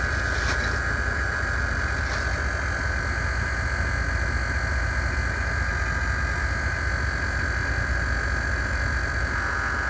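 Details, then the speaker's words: Scania TGB30 SBA111 military all-wheel-drive truck, 11-litre D11 diesel, low idle after cold start; continuous high-pitched brake pressure warning buzz holds while air pressure builds before the valve can be released. "Now we just need to wait for the air pressure to move up a bit here. So the alarm goes off. We can release the valve. That's a brake pressure warning light."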